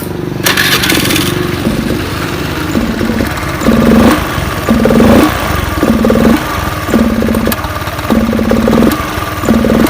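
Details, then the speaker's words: Honda Beat FI scooter engine at low rpm surges and sags about once a second as if starved of fuel; spark plug, ignition and compression checked good; cause is a fuel pump weakened by age. "Seperti kekurangan bensin. Jadi faktor berbet ini bukan dari sebagian injeksi saja, bisa juga disebabkan karena busi."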